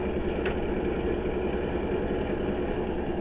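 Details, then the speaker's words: Titan space heater running and producing heat; steady, even rush of air over a low hum, no ticking or rattle, from the rear fan that blows out heat so it doesn't overheat; normal operation. "Of course, the reason why it's making that noise is because it has a fan at the back to blow out some of the heat so it doesn't overheat."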